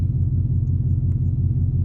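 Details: 2003 Chevy Silverado 6.0L V8, tuned on 93 octane, idling after throttle body/TPS replacement and coolant bypass fix: deep steady even burble, no surging or shaking; healthy idle.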